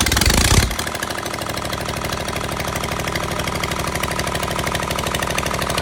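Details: Engine catches and settles into a rough, lumpy idle with an uneven chuffing beat, a misfire with two cylinders not working.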